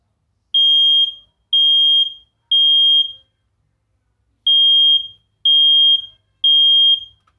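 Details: First Alert 10-year sealed smoke alarm test: loud high-pitched beeps in groups of three, about a second apart, with a pause between groups; smoke alarm working.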